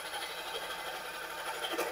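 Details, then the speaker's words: Car engine bay, engine running: steady, raspy high-pitched whirr with almost no low rumble beneath; mechanic suspects the water pump, possibly the alternator, pointing to a worn water pump bearing. "look like a i feeling something not right at the water pump look like to me could be alternator I'm not sure"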